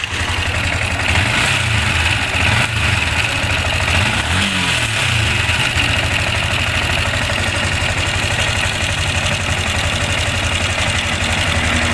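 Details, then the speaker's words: Sniper 155 single idling, still noisy after another shop replaced the cam bearing and clutch damper: fast metallic rattle and ticking over the exhaust beat; manual tensioner adjuster almost fully sunk, pointing to a stretched timing chain; valve clearance also to be checked. "So sa kanya halos lubog na. So number one natin nakikitang sira nito iyung timing chain."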